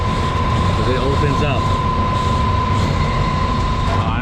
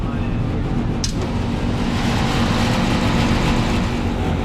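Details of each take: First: Johnson Controls packaged water source heat pump blower after repair, with a screw added and all missing housing screws refitted; a steady airflow hum with one constant tone and no rattling from the housing, now nice and quiet. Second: Johnson Controls packaged water source heat pump, call for a lot of noise, fan running with the panel open; loud, steady fan roar with a coarse, irregular buzzing rattle that goes quieter when the loose blower housing is pushed on.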